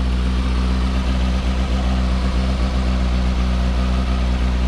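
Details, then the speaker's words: Honda CB600F Hornet after replacing all spark plugs, before warm-up and oil change: steady even low idle with smooth unbroken beat and no misfire stumble; sounds smoother, normal idle. "not joking that sounds smoother"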